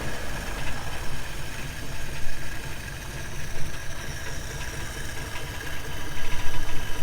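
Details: 1953 Plymouth, left sitting about ten years, jump-started from a battery after corroded cables were replaced: deep, steady low rumble with a loose, lumpy beat, holding an even idle; first run successful.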